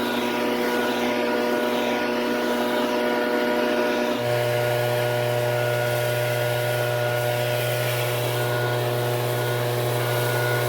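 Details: Steady high two-stroke drone at full throttle, pitch stepping down once then holding even, no misfire or surging: Shindaiwa backpack blower running strong after being fixed from a no-start condition.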